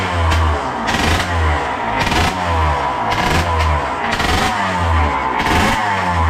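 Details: RM80 bored to 135cc two-stroke warming up after first start: crisp, rapid popping rising and falling with light throttle blips, smoke easing as it warms with rich oil mix in fuel; normal, healthy warm-up.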